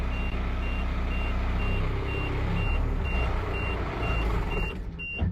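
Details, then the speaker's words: Ford F800 military truck with a diesel idling. A sharp high beep repeats about twice a second, with the brake light on and "push to release" shown: the parking brake warning, with the brake stuck on. "The thing's beeping for some reason. And it says push to release."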